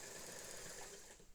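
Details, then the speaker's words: Vintage Singer sewing machine (99K-type) after new motor belt install, running with needle engaged on long stitch: quiet, even whirring with soft regular stitch patter, no slapping or squeal; much better, running smoothly. "And let's see here. Oh, that's that's much better. That's so nice and quiet."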